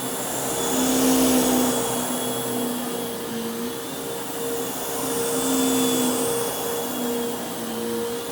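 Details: Bissell Lift-Off Multi Cyclonic Pet vacuum, model 89Q9, made mid-2013 and about 7 years old, started up on the floor: steady motor whine with an even airy rush and constant tone, no rattles or surging; running normally.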